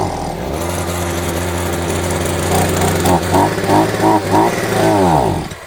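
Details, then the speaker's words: Champion 23cc string trimmer, running on fuel dribbled into the intake: two-stroke buzz revs up and down in uneven surges, then fades out and stalls and won't restart. Blamed on a tampered carburetor, appears to run out of fuel. "So if he starts right away does it cut well probably and then it dies. That is bizarre. Just randomly dies and then then it won't start again."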